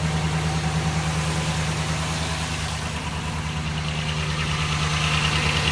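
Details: 2012 Dodge Ram 1500 4.7 V8, 59,000 km, still under warranty: a deep idle with a steady, regular knock about three per second, source unknown.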